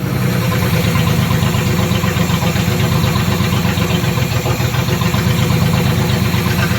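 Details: 1976 Datsun 280Z 2+2 pulled from a junkyard and revived, now running after oil change and radiator reconnection: low, steady idle rumble with an even beat, no misses or stumbles; engine idling smoothly, running much better.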